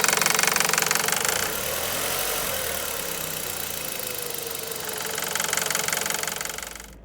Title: 2001 1.8T Beetle engine knocking